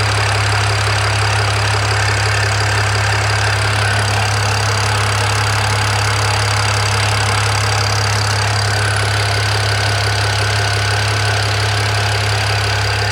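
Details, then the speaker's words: BMW E92 335i after swap to a used E90 engine (head rebuilt, all 24 valves lapped after a cylinder 4 exhaust valve fault), at idle: steady whirring drone with light ticking; drive belt first suspected, alternator found extremely hot, cause unconfirmed. "all right there seemed to be a funny noise i thought it might have been the drive belt but the alternator is nearly on fire"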